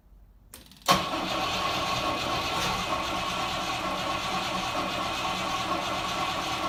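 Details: 1968 Rover P5B, start after converting from a leaking mechanical fuel pump to a wing-mounted electric pump; a short crank catches at once and settles to a smooth, even idle with no stumble.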